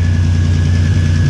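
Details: Pontiac GTO idling after a repair of its repeatedly cracked exhaust manifold: a deep, steady low rumble with no ticking or puffing from the manifold. The exhaust sounds quieter, tight and sealed.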